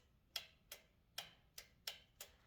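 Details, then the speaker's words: Kawasaki FS600V engine after installing replacement carburetor, key toggled on/off with engine not running: six crisp, clean clicks about half a second apart from the fuel shutoff solenoid; solenoid working normally. "time for a quick functionality test as we toggle the key from on to off listen for that satisfying click indicating the solenoid is"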